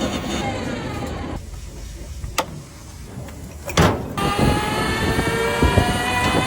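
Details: Electric tricycle rear drive, test run after replacing the differential whose gears were badly broken, with new gear oil added: the drive whine rises smoothly and evenly as it spins up, with no grinding or clunking from the rear axle.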